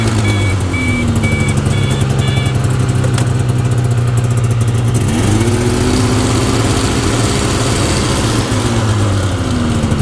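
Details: 1992 Yamaha Venture XL VT480 snowmobile two-stroke, cold start after a week with choke, after new plugs and carburetor adjustment; even idle, one throttle blip lifts pitch smoothly and settles back; normal idle.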